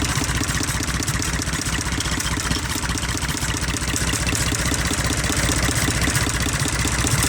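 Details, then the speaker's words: IH 484 diesel tractor with a PLN injection system, smoky, at idle while injector lines are cracked one at a time. Loud clatter with a slightly uneven beat; cylinders 2 and 3 cause strong misses, number 1 less so, pointing to a number 1 cylinder fault. "Okay, so number 2 definitely still makes it miss. Number 1 does too, though. What about number 3? Number 3 definitely makes it miss."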